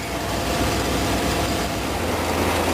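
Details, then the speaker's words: Ford motor home after cleaning/repairing fuel tank selector valve and new fuel line: even steady engine roar with no misses, knocks or surges; running for a while, believed drawing fuel from tank. "Well, it's still running."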